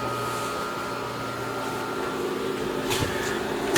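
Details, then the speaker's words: Grizzly G0763 6x18-inch surface grinder coolant pump running after start-up, with no grinding wheel fitted: a steady, even hum with a faint tone, then a couple of clunks; normal coolant pump running. "use a coolant pump that coolant pump does operate"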